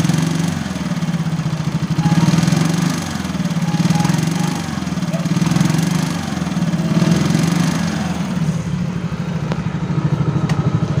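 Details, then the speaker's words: Yamaha X-Ride (54P engine, same as Mio): idle normal, but on throttle the revs swell with a light metallic rattle on each rev, around 3,000–4,000 rpm; worn piston and cylinder block, piston slap. "Tapi ketika kita gas ada suara kritik gitu ya."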